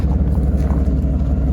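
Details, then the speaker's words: 1991 Chevy C1500 idling after new fuel pump, tank and filter: deep even low thumping, no dropped beats or stumble; engine firing cleanly. "Doesn't sound like it's missing or anything. The engine runs smooth."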